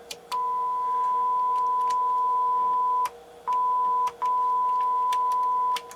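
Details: NAD 3150 integrated amplifier after repairs, power test into speakers: clean steady mid-pitched tone in several long stretches with short clicky gaps, no hum or crackle; amplifier playing properly.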